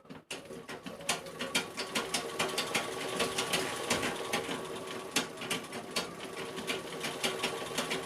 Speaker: दोस्तों, इस मशीन के जो पैर हैं वो आवाज़ कर रहे हैं, तो हम उस प्ले को कम से कम कितना कम कर सकते हैं उसके ऊपर आज बताएंगे आपको।